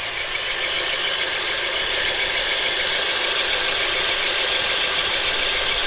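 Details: K24A3 Honda Accord CL9 engine: fast, fairly even light rattling ticks, about three a second, over a thin engine hum; owner suspects the belt or water pump, source unconfirmed.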